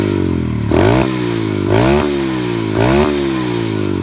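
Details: Friend's four-stroke pit bike after carburetor work (it bogged at full throttle): single-cylinder idling smoothly, revs rising and falling about once a second as idle is adjusted; running clean.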